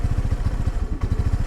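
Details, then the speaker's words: New Honda NAVI carbureted bike on freezing morning, about 28°F, kickstarted with choke on, running rich; small single chuffs unevenly at idle, beats bunching then faltering, stuttering rhythm while mixture is adjusted; rough, hunting idle. "okay so it's laboring because of too much fuel let's give it a little less fuel a little more air okay but then now it's found another equilibrium where it's not quite happy"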